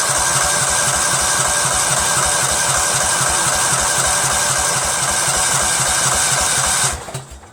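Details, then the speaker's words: Cub Cadet lawn tractor, Kohler Command CH13 13 hp: steady cranking chug about four beats a second for seven seconds, no start, after fresh gas; fuel starvation from a crimped fuel line plus carburetor air leak from two bad gaskets. "I hope it starts it's gonna crank a while because it needs time for the gas that we sucked up you know"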